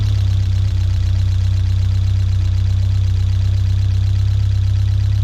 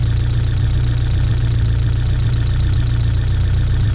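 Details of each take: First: 1979 Fiat 124 Spider, about 3,000 miles, fully warmed up with the fan on, after resetting the drifted ignition timing to about 18–20 degrees; steady, smooth, even idle. Normal. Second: 1979 Fiat Spider 124, about 3,000 miles, vacuum advance disconnected: low, slightly lumpy idle with slow dull beat; ignition timing retarded to about 2.5 degrees, versus 12.5 with vacuum on, before resetting timing.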